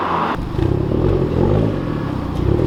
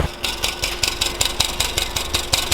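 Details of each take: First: Hyundai Genesis with new ARK Performance front pipe, revving heard from inside the car: deep, even exhaust note climbing smoothly with no rattle, misfire or stumble; slightly deeper and louder than before, engine and exhaust healthy. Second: Hyundai Genesis at idle with an aftermarket exhaust flex pipe that had rattled since installation: sharp, regular ticking puff about five per second over the engine hum; exhaust leak at the flex pipe, to be replaced with an ARK Performance front pipe.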